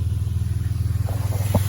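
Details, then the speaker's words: 2003 RAM 1500 3.7 after replacing a bad PCM with an internal failed voltage regulator: steady, smooth, even idle with no knocks or misses, staying running with a battery cable loosened; normal idle. "we're gonna crank it up real quick and I'm going to show you right she's running"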